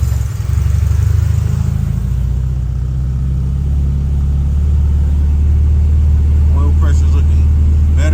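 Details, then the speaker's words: Turbo Honda CB7 with new distributor, coil-on-plug, Hellcat 525 fuel pump and flex-fuel sensor, before its dyno tune: catches immediately, holds a steady even idle and revs smoothly with no knocks or misses, no adjustments needed. "all right guys I am happy with this result car cranks up didn't have to do any adjustments"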